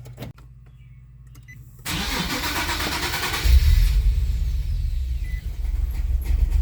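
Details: Nissan 370Z Nismo with a long crank, low power, no check engine light, fuel pump cycling only about 1 second with no pressure on gauge: catches and settles into an uneven, lumpy low idle; running rough, suspected fuel starvation.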